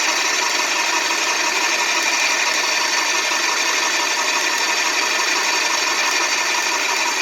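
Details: Graco 390PC airless paint sprayer pump after rebuild, intake in air: rapid, even spitting strokes about three per second over a steady hiss, priming normally.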